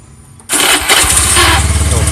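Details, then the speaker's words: Honda Beat FI scooter: engine catches with a short squeaky chirp right after electric start; starter motor dry and dirty, fixed by cleaning and fresh grease, no parts replaced. "mas bro sepeda motor ini kalau di stater Nyalakan Ada bunyi ngik setelah strategi Nyalakan nih"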